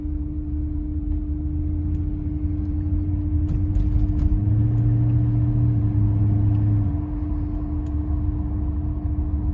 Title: Tensioner pulley Humming noise 2001 CLK55 AMG